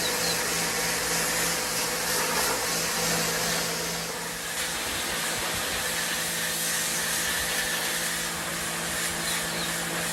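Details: WAP Extreme Turbo 2800 pressure washer spraying under load: a steady motor-pump drone with hissing spray, even and unbroken throughout; working normally.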